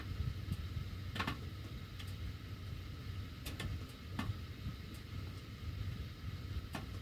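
Sharp, irregular ticks every second or so over a low fan hum while the heat runs; the ducts are ticking, cause unknown.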